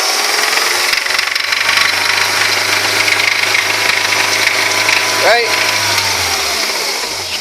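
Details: Engine revving after a new timing chain kit, with cam, tappets and followers reported fine: harsh uneven knock under the roar following the throttle; owner suspects big end bearings, unconfirmed.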